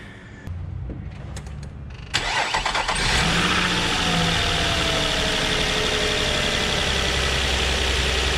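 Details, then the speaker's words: 2007 Nissan Murano 3.5L V6 with a cylinder 3 misfire (rear bank, under intake manifold): starts and settles into a lumpy idle with an uneven stumble, coil moved to the front to see if the misfire follows. "so will fired up and see if the misfire change cylinders"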